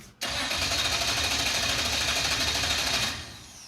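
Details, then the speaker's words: 1970 Dodge Super Bee with a 440 V8, abandoned for years: about three seconds of steady cranking at roughly three turns a second that never fires; no fuel pressure because the pump wasn't running, later found ungrounded. "Does it show fuel pressure? It's telling me we don't have fuel pressure. Well, yeah, the pump's not running."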